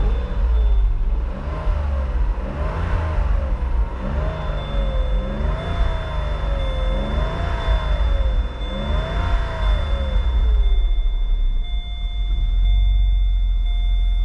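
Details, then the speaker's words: Vauxhall Corsa 1.0 Ecoflex three-cylinder petrol after new valves, head gasket and timing chain: revs rise and fall smoothly through several blips, quiet and even with no knocks; normal revving. "That sounds really, really nice. Nice and quiet. I don't know if you can hear how quiet it is, but that is so quiet."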